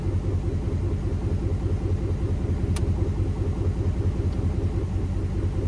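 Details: 2008 Chevy Avalanche 5.3 V8, first start after a timing chain failure, bent valves, repaired heads and damaged lifters and pushrods: low, even burble at idle with a steady pulse and no tapping or rattles; running acceptably.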